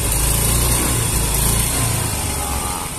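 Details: Yamaha Mio M3 125 scooter: note surges and sags as the throttle opens, stumbling instead of pulling cleanly; hesitation on acceleration, suspected from fuel pressure, earlier suspected weak pump pressure.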